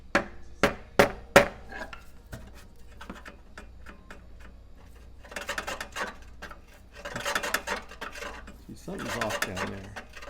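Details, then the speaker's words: 20" California Trimmer reel being seated to a newly installed bed knife with new screws, turned by hand: sharp clicks, then uneven scraping bursts; suspected bent-up bed knife or a high reel blade. "either the bed knife is bent up a little bit or one of these is a little bit High like right there hear that"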